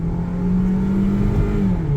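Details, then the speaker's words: 2007 Hyundai Elantra GLS, about 114,000 miles, automatic in drive, AC off, windows cracked, 0–40 full-throttle run: strong steady drone climbing smoothly through gears, slight tire bark, no knocks, slipping or whine; engine and transmission healthy. "Windows cracked so we'll hear those tires working and there's no traction control for me to shut off. So, you know what? We're just going to leave this right in drive. Three, two, one. Little bark, little torque steer, let's go."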